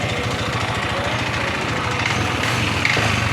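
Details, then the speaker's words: Yamaha NMAX v1 scooter with the side cover removed: fast steady knocking ("lagotok") over the idle, about two or three a second, and it is also smoking. The connecting-rod side bearing is suspected but not confirmed, and the engine is being disassembled. "Tapos may usok na rin. Posible may tama yung pinaka side bearing ito sa connect ng rod."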